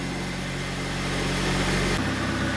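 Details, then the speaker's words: Suzuki SX4, 2 L four-cylinder, 5-speed manual, about 251,000 miles, started on an old battery: steady, even idle with a smooth low hum and no knocks, ticks or misses; normal idle. "that's what I'm talking about baby Suzuki power listen to that thing she sounds so"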